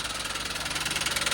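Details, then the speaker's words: Toyota Wigo that sucked a lot of water, restarted with cable help: sharp metallic knock, roughly sixteen per second at idle, loud over the engine, from a bent connecting rod, one or two rods suspected. "Ayan nakita mo yung andar higit na ng maraming tubig >> basta ganyan naandar sir sigurado yan may sigurad diyan."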